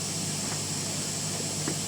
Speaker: Nah itu akan timbul suara noise guys apalagi ini baru satu channel